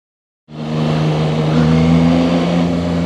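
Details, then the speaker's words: Zontes 703RR inline-three at 9,500 km, riding slowly in second gear under light load: steady low drone with buzzy edge from the engine, no knocking or vibration; owner dislikes this unexplained buzz. "There's some buzzing when I go slow in the second gear. I hear some buzzing coming from the engine. Uh it doesn't have any vibrations."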